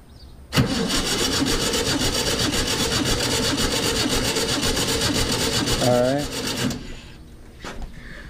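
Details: 1966 VW Type 3 Fastback, compression test on cylinder 3: even starter cranking at about four beats per second for six seconds with no stumbles. Reading about 115–118 psi; healthy cylinder compression.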